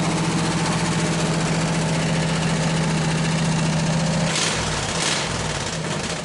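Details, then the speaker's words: Hot rod go-cart, small engine with exhaust pipe ending just in front of the rear end, no muffler yet fitted: harsh, loud, raw popping idle at about four pulses per second; very loud unmuffled exhaust. "But exhaust is very loud. I've got it running right in front of the rear end."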